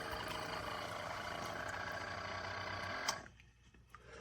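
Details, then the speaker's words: Chefman single-serve K-Cup/ground coffee maker brewing, otherwise quieter than a Mr. Coffee; unusual fast buzzing rattle from the pump, about three pulses a second, then it cuts out; water not very hot, cause unclear. "That is a weird noise. Do you hear it? Okay, I'm not used to that."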